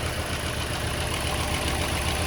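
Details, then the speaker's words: Toyota Corolla warm petrol engine idling with check-engine light on, weak, cutting out and high fuel use: uneven pop-pop-pop beat and heavy shaking from a misfiring cylinder, before repair. "ó e dá para ouvir também o barulho do motor trabalhando fazendo tipo pó pó pó pó pó pó pó pó pó pó damos uns Tourinhos né Trabalhando errado"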